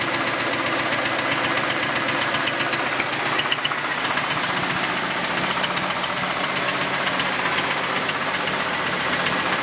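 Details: Camaro after an exhaust repair, fuel-injected: rough idle with a loud, fairly regular knock about four per second and apparent looseness; it also blew debris from a dead animal out of the exhaust; cause not pinned down.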